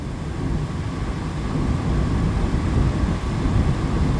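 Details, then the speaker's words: Restaurant kitchen AC unit running after greasing; deep heavy rumble with uneven throb, vibrating badly but no worse. Tech suspects dirty or out-of-balance indoor blower assembly. "so this guy's running now yeah I mean I don't know if it's coming across on camera it hasn't gotten worse but it's vibrating pretty bad"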